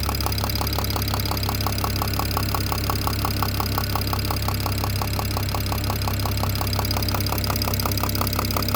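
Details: BMW E92 335i N54 at steady idle: sharp, regular tick-knock about two per second over the engine hum. The owner suspects the top end but is unsure; the cause is not yet known.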